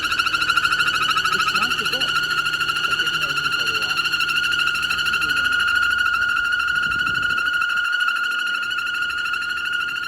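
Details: 2013 BMW X3 xDrive28i petrol engine running with a steady high-pitched squeal, not the belt but a faulty VVT (Vanos) solenoid, fixed by replacing the solenoid; engine squeal from faulty VVT solenoid.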